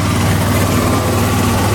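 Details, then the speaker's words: Volvo haul truck diesel idling: loud, deep idle with a rough puffing chuff; exhaust escaping through slits in a dryer-vent cap patched over the rusted-out bed-heater exhaust tube; exhaust leak. "it's got a few little slits right there and the air pops out of it and uh that's what you're hearing making that sound"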